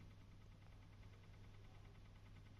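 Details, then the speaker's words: PlayStation 5, three weeks old, idling in the menu with no game running: quiet hum with a faint, quick regular ticking, louder in games. Owner suspects the wobbly, loose cooling fan. "включил PlayStation 5 слушайте какой звук он появился спустя 3 недели использования консоли что что это за стука"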